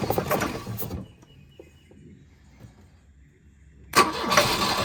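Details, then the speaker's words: Volvo 242 retrieved from the woods, hot start after timing adjustment: brief ragged firing dies then catches roughly; barely running, no knock; needs carburetor and fuel work. "I don't know if you want to call that running, but it runs. It's not knocking or anything. That doesn't sound good."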